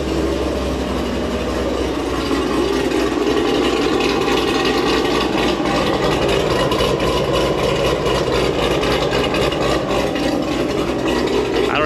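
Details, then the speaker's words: Warm V8 idle on a cammed, supercharged Corvette Z06 with Corsa exhaust after doing the service-bulletin fix, valves cycled; steady even rumble, constant pinging rattle formerly from the passenger-side exhaust now gone; no exhaust valve rattle. "more rattle before you just heard like a constant like pinging noise and i'm not hearing that now"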